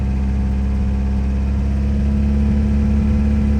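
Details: VW TDI diesel at raised revs: loud, lumpy running with an uneven, stumbling misfire, starting around 1600 rpm when cold and up to 2600; idles fine but above about 2000 dumps fuel, backfires and smokes heavily; cause unknown despite many parts changed.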